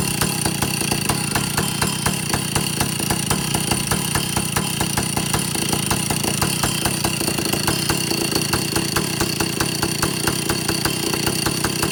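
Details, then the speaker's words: Vintage Stihl chainsaw two-stroke, test run after fixing air leaks and overhauling carburetor (high 3/4 to one turn, low 7/8 to one turn out, target idle 1,800, top no more than 10,000 rpm): fast even firing stuck at one speed, won't rev fully; owner suspects a third carburetor circuit. "The only thing I'm concerned about is um the the engine doesn't want to rev all the way up."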